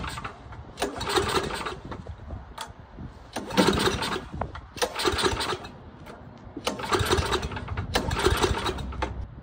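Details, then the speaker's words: Troy-Bilt Tomahawk Pro chipper with 10HP Tecumseh engine, after freeing a stuck governor arm and remote throttle with penetrant: revs climb and sag about every 2.5 seconds, a hunting surge; dirty carburetor suspected, carb cleaning still to come. "we hear that surging dirty carburetor"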